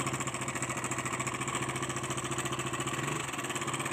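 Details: KTM Duke 200cc at idle: a light, fast metallic rattle keeps pace with the engine over a steady idle, pointing to a slack timing chain; timing chain noise, problem later solved.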